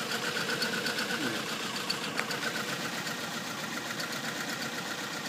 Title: Corolla LE 1.8 2005 automat Multiple Misfired Cylinder Detected (Cylinder 1,2,3,4)